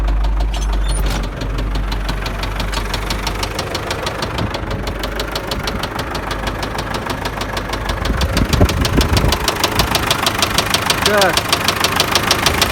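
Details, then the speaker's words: MTZ tractor diesel that started knocking halfway through a drive and was driven about 20 km with it: a sharp metallic knock about three times a second that worsens with revs. Rod bearing knock, though some suggested a cracked shaft. "в общем ехал сюда на полпути появился странный звук не пойму что за причина что может быть"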